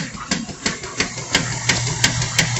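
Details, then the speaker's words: Washing machine during wash: sharp knocking about three times a second over low motor hum; caused by a missing screw that had come out. "Qué es lo que tiene esta lavadora hace un ruido al momento de lavar ahí se escucha el ruido Como un golpeteo"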